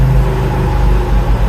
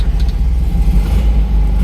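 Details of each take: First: Classic Fiat 500 in first gear at 10 mph: heavy droning low rumble with rough edge only with clutch pedal pressed, in all gears and reverse, gone in neutral or clutch released; worn clutch pilot bush lets input shaft wobble. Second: Classic Fiat 500 after engine removal and spigot bearing replacement, clutch in and in gear: low steady rumble, no whirring or chirping; earlier noise gone, normal clutch-in idle.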